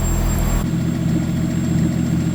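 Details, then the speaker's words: BMW E30 with forged turbo M50 during fuel surge tank install; ear-piercing thin high whine over smooth low idle from the in-tank stock fuel pump, blamed on hard-mounting it with a metal zip tie. "That whine is so loud. That's the one from inside the stock tank. It's definitely because I hard mounted the fuel pump with that metal zip tie."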